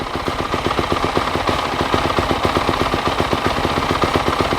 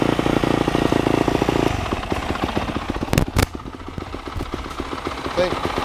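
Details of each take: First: Used 250 dirt bike running on choke while warming up, at idle: fast, sharp popping exhaust beat about four per second, harsh and loud; the exhaust is a little banged up, no tip fitted, cause not confirmed. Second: Lazy 250 dirt bike idling after a choked start: quick, even exhaust pops about four a second hold steady; idle good, bike loud, exhaust tip banged up; normal idle.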